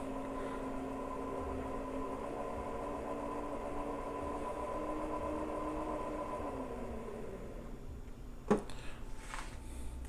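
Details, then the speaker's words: Little Machine Shop 7350 7x16 mini lathe with a brushless motor, spindle running with the oil slinging and the lead screw not yet engaged. A soft, steady hum with a faint even tone and no knocking or grinding: quiet and healthy. "The torque here at this speed is the same as the speed high speed, which is really cool, and it's super quiet."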